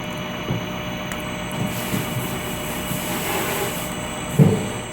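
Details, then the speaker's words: Pasmo S520FA floor-model frozen yogurt machine with air pump, after dispensing: refrigeration runs about 30 seconds with steady low hum, no knocks or rattles, then kicks back down; normal run cycle. "It's going to run that 30 seconds as I stated, and now you hear it kicking back down. Everything's staying cold, and it's ready to dispense again."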